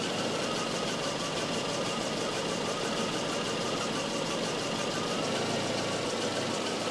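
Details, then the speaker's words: Volvo 244 warm idle on a Sun tester cylinder balance test: uneven pulse as each cylinder is switched off in turn, an induced misfire; cylinder 3 dropped 77 rpm with HC up about 1300–1400 ppm; owner suspects timing is off. "now we can hear that it's actually switching the cylinder off"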